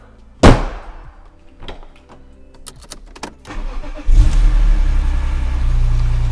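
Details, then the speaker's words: BMW E46 M3 (S54, 3-litre) starting after a new battery was fitted, oil still to be topped up: a few seconds of clatter and clicks, then it fires at once and settles into a steady, even idle, a healthy start. "And we have liftoff. That's nice."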